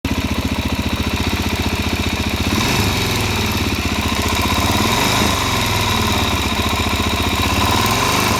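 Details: Warm Suzuki DRZ400SM single-cylinder motorcycle idling: steady light ticking on the exhaust pulses, starting once warmed up, after riding about 50 km with gas in the oil.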